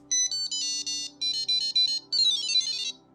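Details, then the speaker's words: Custom CAN data logger on a hybrid robot snowblower, started without an SD card: quick series of bright melodic chirping beeps with flashing lights, the no-SD-card alert tone. "If any data is transmitted, as well as indicating potential faults, like in this case where the logger is started without an SD card, the light will flash and the unit plays a distinct sound."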